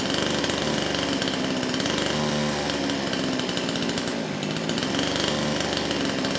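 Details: Kraftworld KW-5800 58cc Chinese two-stroke chainsaw, previously non-starting after being run on straight fuel, now with new carburetor: loud steady high-pitched scream held at full throttle without stumbling or surging; runs cleanly and strongly.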